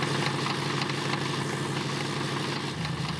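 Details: Old V8 wagon at idle: rough, uneven metallic knocking about three times a second over the engine note, after an additive was added to the crankcase to free possibly stuck lifters. The smog pump is also noisy.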